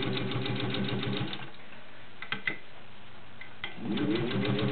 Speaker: Crank down on the presser foot pressure a little, and you will hear it working. It does slow down just a little because it is pulling the fabric through.